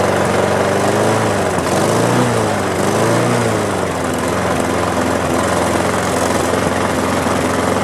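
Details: Push mower small single-cylinder engine after carburetor cleaning, air cleaner refitted: catches, revs briefly, then settles into a steady even run with no misses or surging; normal running.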